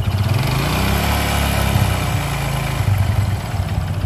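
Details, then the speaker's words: Honda Supra X 125 motorcycle, rough engine noise from the middle of the engine: hard knock under idle that speeds up and gets louder as throttle opens, never disappears; sign of a worn connecting rod. "seiring putaran mesin jadi semakin tinggi putaran mesin suara itu mengikuti ya Jadi tidak hilang Nah itu salah satu ciri stang piston yang sudah kena"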